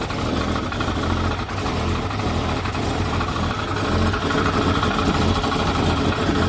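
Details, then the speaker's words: 1989 Jeep Cherokee XJ, Renix 4.6L I6, AW4: loud rough idle over exhaust with irregular light rattle and knock from rear of engine; noise intermittent and fades above 2,000–2,500 rpm. Owner suspects loose flex plate bolts, unconfirmed. "hopefully you can hear that over the exhaust but yeah it sounds like it's kind of coming from of the back of the engine a little bit"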